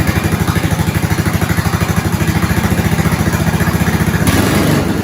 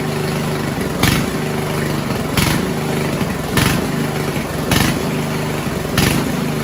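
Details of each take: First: 1970s snowblower small engine after fuel line replacement, started on slow with choke and primes, left to idle: steady, even putter with regular firing pulses, no knocks or misses; normal idle. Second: 1970s Roper 1032 snowblower, probably 10 hp Tecumseh, first run on repaired carb with JB-welded bowl: idle swells and sags about every second, steady rhythmic surging; lean carburetor hunting.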